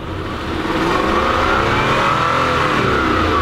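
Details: Lexus LS400 with code 41: engine revs on light throttle, then holds at one modest speed and won't rise past about quarter throttle; stuck in limp mode, owner suspects leaking ECU capacitors.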